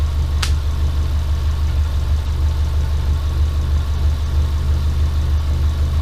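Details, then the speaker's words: Rebuilt Subaru Impreza engine with SOHC heads, first start after build with two-ECU wiring and exhaust work; steady even low rumble at idle, one brief early click, no knocks or misses; starts and runs as hoped, no leaks. "The main goal was to get this thing to start and run, and it started and ran. Realistically, it's everything that I kind of hoped for."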